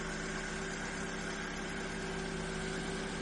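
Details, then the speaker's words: Ford Fiesta, first start after oil change, initial tapping from oil circulating gone: smooth even idle with a steady hum, no tapping or knocking left; engine sounds healthy. "That sounded pretty good. They did, didn't it? Yeah. Good little engine these as well. That sounded good."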